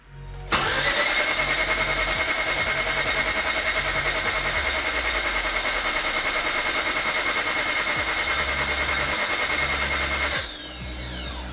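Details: Mazda RX-8 race car with newly installed JDM Renesis rotary engine, first start attempt with systems disconnected, oil pressure not yet seen; steady, even starter whir for about ten seconds without catching; normal cranking, no start (fuel disabled).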